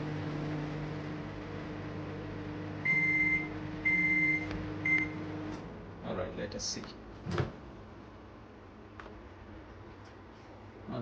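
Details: Samsung convection microwave oven after repair (fuse, no-heating fault), running a 30-second test with a bowl of water: steady low hum with a few beeps, then the run ends; working normally.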